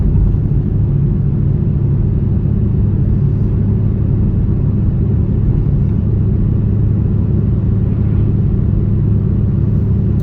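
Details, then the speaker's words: 2004 Buick Rendezvous driving: deep steady grinding, rumbling growl like an airplane taking off, from a worn wheel bearing; seems from the rear but location uncertain. "And as we're driving, you will hear a grinding, rumbling type airplane taking off type noise. That's a wheel bearing. That's what that noise is."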